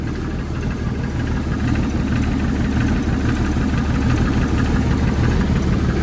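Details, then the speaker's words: Jeep Comanche with turbo fitted, motor nearly worn out: rough idle with heavy, uneven knock about three times a second; piston slap from broken piston skirts. "Y'all want to hear the knock? So y'all can believe that it's knocking."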